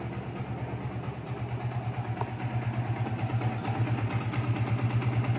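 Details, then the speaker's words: Yamaha Vixion Advance after repair of oil pump not feeding oil to the head, which had wrecked the rocker shaft seats and valve caps and caused harsh rattling; torn seal replaced; now even, steady single-cylinder idle, smooth, no tapping, engine quiet again. "dan hasilnya seperti ini gaib mesin kembali adem mantap wes"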